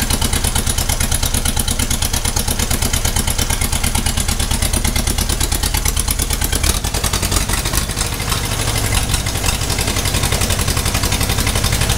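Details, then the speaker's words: 1956 Ferguson TO20 TVO four-cylinder tractor, first run in 8 years, idling with an uneven lumpy beat, running on three cylinders with one misfiring, suspected cylinder number one; leads, distributor, fuel tank, plug and carb later serviced. "she is only running on three cylinders it's a four cylinder tractor and you can hear that that's it missing on one cylinder"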